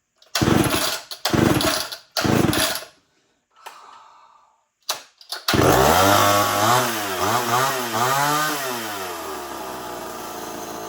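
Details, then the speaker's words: Homelite XL-12 two-stroke chainsaw after about a day of work to make it run right, hard to pull when hot: fires up, revs rise and fall cleanly with throttle and settle without stumbling; running properly now. "definitely took me for about other day to get it to run right, but I think I finally got it to run good."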